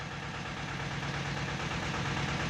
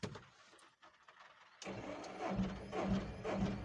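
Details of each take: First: Tata Ace Zip XL diesel, towed in with no-start and fault code P0090 (fuel pressure regulator); steady diesel clatter at idle with even low rumble, no misses or knocks; engine sounds healthy. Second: Tata Ace Zip XL, towed in, cranks at an even two beats per second without catching; scanner shows code P0090, crank no-start traced to an open fuel pressure regulator circuit.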